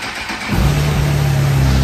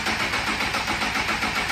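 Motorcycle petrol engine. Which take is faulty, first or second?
second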